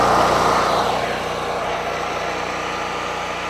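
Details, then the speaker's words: Generator unused for a long time, after the fuel bowl was drained (owner suspects water or sediment): rough running suddenly clears into a steady, even drone. Now running well. "now it's running better so anyway mission accomplished"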